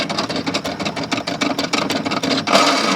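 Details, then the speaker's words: Toro Timemaster self-propelled mower, hard to push and noisy, in service position with spark plug disconnected: rapid uneven clicking about three per second as the wheels are spun; bad bearing or transmission suspected. "We could have a bad bearing or the transmission."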